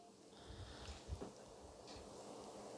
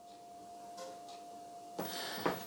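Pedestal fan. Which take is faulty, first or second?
second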